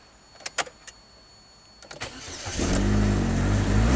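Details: 2010 Chevy HHR 2.2L Ecotec with eight codes including MAF performance and circuit low: a few clicks, then engine catches and runs rough and low, barely kept alive with throttle before stalling; start-stall.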